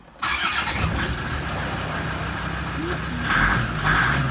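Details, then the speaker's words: Land Rover Defender TD5 diesel started after the fuel filter head (WJN000020) was repaired and the fuel system bled. It catches quickly and settles into a steady idle with a brief rev lift, starting cleanly. "you might get a couple of blips with a little bit of air left in it but yeah that's all good"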